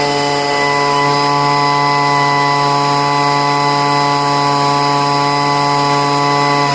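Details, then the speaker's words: Poulan two-stroke leaf blower, first start after about five months of storage, after heavy priming and richening the high-speed mixture screw: steady high buzzing drone at one even pitch, no surging or stumbling; running normally. "okay, it's fine now. I usually don't have to pour any gas into the cylinder to get it to run."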